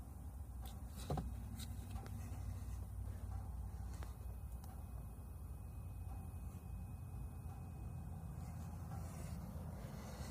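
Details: 2018 Ford F-150 5.0L V8 idles with a deep, uneven rumble broken by irregular puffs and stumbles, a misfire on bank 1.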